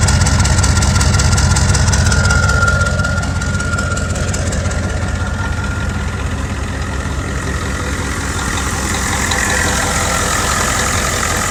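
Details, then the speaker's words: 1986 Ford F250 6.9 turbo diesel, 4-speed 4x4, revived after water-contaminated oil was changed, no coolant in it: even diesel idle clatter with faint turbo whistle, somewhat smoky but runs good. "it's a little smokey she's just smokey old girl but i got you runs good"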